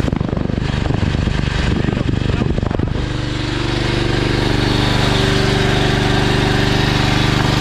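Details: Honda GX390 generator engine after repair, petrol fuel, switch needing replacement: rough uneven firing settles after a few seconds into a smooth steady low drone; normal start and run.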